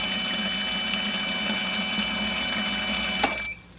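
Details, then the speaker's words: Pontiac GTO, previously removed fuel pump run on a battery pack for comparison: steady high-pitched electric hum with even flow, no surging or drop-off; pressure seems much greater, pump flowing normally. "we got a steady flow that's my battery pack beacon but as you see the pump is still flowing like it's supposed to still going"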